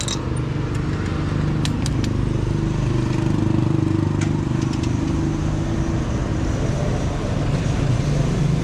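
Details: New Bajaj CT125 single after a sudden no-start from loss of compression, started by adding oil and fuel: running steady and strong with a deep, even exhaust beat, no misses or knocks; run it to clear valve carbon deposits.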